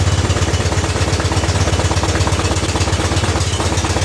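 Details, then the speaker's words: Custom-built 6x4 garden tractor/riding mower, sat since last year, battery not charged: steady low thumping about three beats a second, evenly spaced and sluggish, never catching; slow cranking, flat battery. "let's see if this even uh wants to fire up here or turn over would here that the battery is not charged let's see if it'll turn over"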